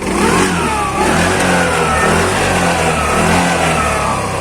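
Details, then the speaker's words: New TVS Jupiter ZX scooter revving: odd rasping note from the silencer rising with throttle; source unknown, silencer being swapped to check. "यह आवाज ए रही है ये आवाज ए रही है ना पता नहीं अलग ही आवाज है कहां से ए रही है"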